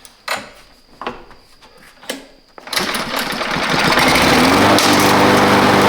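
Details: Abandoned Husqvarna lawn mower that wouldn't start because its air filter was badly clogged, run with the filter removed. A few sharp pull-starts, then it catches and settles into a steady, fast, even buzz; runs normally.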